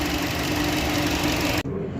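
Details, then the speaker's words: 2015 Chevy Cruze 1.4T, 68,000 miles, after replacing the valve cover/gasket with PCV valve to cure hissing, bucking and code P1101: quick, even ticking idle with no hiss of escaping air and no bucking; normal idle. "and that noise should be gone no more hissing and this thing should act right it should idle smoothly a lot better whole lot better whole lot better"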